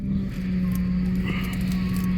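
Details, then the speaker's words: 2008 Ford Expedition (ex-police), idling after replacing the rack and pinion with one from a 2010 Lincoln Navigator and refilling fluids: steady low hum from the power steering pump; air not yet bled, to be bled by turning lock to lock. "that noise is the power steering pump down there so I added fluid I added a coolant I added oil so I'm letting it run and now to get out the air"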